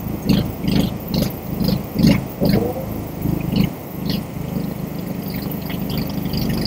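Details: APR MIG 135 inverter welder, reported broken when new, output measured around 46 V: MMA stick-electrode test weld gives crackling, sizzling bursts at an even pace settling into a steady hiss; normal stick arc.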